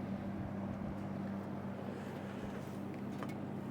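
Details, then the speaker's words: Vintage Robeson Kool One box fan after teardown, cleaning and reassembly, on medium: steady low hum, even whoosh of air, no rattles or scraping; runs smooth and strong. "Medium. Well, that's pretty powerful. It's a shaker."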